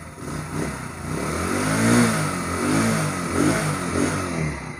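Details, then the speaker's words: Motorcycle that had vibrated heavily at 40–60 speed, revved after its loose swingarm axle was tightened with a 17 mm spanner: it revs up and settles in a few smooth blips, with no rattles or knocks, now normal. "देखिए दोस्तों बिल्कुल scientist ठीक हो गई है यहां पर कोई शोर पैदा नहीं हो रहा है"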